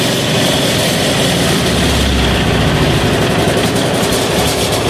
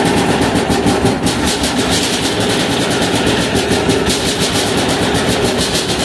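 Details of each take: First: 186FA single-cylinder diesel restarted on diesel after running out its motor oil fuel: a steady, loud, even chug at idle. It runs normally. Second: 186FA single-cylinder diesel engine running on Road Tech synthetic blend 10W-30 motor oil as fuel: steady rapid clatter at even idle, no misses or surging; runs cleanly on motor oil.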